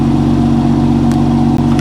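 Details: Manual BMW M2 salvage-auction car, about 33,000-38,000 miles, around 5°C day, not yet warmed up. Strong, smooth multi-cylinder drone held at steady revs, no knocks, ticks or misses: normal, healthy engine.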